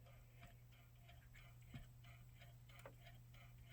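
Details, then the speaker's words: Sony stereo system playing a CD, microphone near the unit: light clock-like ticks three to four a second over a low hum, same on two discs; owner unsure if the ticking is normal. "of sounds like that clocker kind of sounds like a little bit about clock maybe it is supposed to make that noise I don't know"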